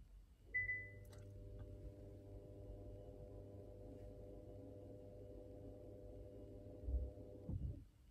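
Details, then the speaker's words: 2018 Kia Optima (JF), electric parking brake on the rear right caliper released via scan tool with the ignition on: a beep, then a steady low motor hum for about seven seconds ending in a soft clunk. The actuator is operating normally before brake pad replacement. "so so I can hear the uh actuator on uh rear right already operated so ready for uh pushing back the piston and uh replacing the brake pads"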